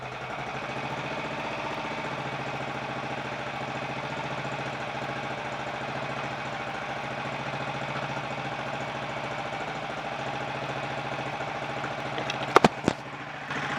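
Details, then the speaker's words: 1951 Royal Enfield Bullet 350 G2, first start after full engine rebuild (worn parts and timing-side main shaft play fixed): steady, even single-cylinder idle thump, no knocks or rattles, oil pumping, condensation smoke; quieter and healthy. "that sounds quite happy with life that's condensation of smoke [Applause] [Applause] and i think the engine is uh quite a bit quieter mechanically too"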